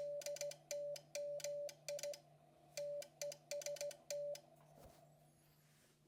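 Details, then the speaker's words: Hardrock 50 amplifier (25–30 W, driven by KX2 at ~0.5 W on 40 m), T/R relay: sharp click at start and end of each CW burst in QSK full break-in with VOX delay at zero; loud relay clicking before quieting with mounting putty. "Now, we're inside the Hard Rock 50. Uh, this right here is the TR relay. every time it's switching over. This is the the device that's making the noise."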